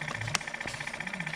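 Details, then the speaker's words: Electric pump on a GMC cab-over landscaping truck, out of service about a month, running on key-on during soapy-water leak check: sluggish, labored chugging about eleven strokes a second; dead battery, confirmed when jump box makes it run faster. "this is soapy water you know what i bet this battery's dead in this truck"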